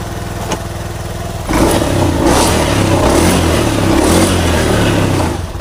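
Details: Honda Beat Street FI scooter, which stuttered and stalled on throttle, after cleaning out deposits: engine catches and settles, then clean throttle blips rise and fall evenly without stumbling or dying.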